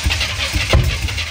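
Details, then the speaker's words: US-import GMC Vandura V8 petrol van, revived from non-running, while adjusting ignition timing: lumpy uneven idle with irregular stumbles and a heavier thump; timing advanced too far, needing to come back; rough running from over-advanced ignition. "she's a run we might gone a bit too much there let's give it go"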